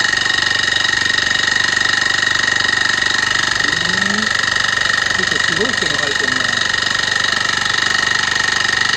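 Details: Honda tiller engine, previously seized, now turns over: steady fast hissy scraping ('shari-shari') at about four pulses a second. Valve tappet clearance was reduced from 0.3 to 0.2 mm with no change; owner suspects a stuck piston or piston rings.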